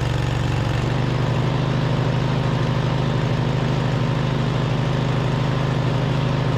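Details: 2007 MTD/White Outdoors 54-inch zero-turn mower (like a Cub Cadet RZT), twin-cylinder, after repairs, charging system fixed: steady, even low thrum while mowing, no misses, knocks or surging; controls and steering smooth; normal running.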